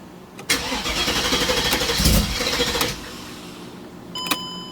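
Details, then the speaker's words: Mercedes CLK55 AMG with M113K supercharged V8 swap, EVAP and O2 sensor codes; cold start, starter churns steadily over two seconds without catching; needed a second attempt instead of the usual third, hard cold start cause unknown. "typical okay better second time instead of third time progress"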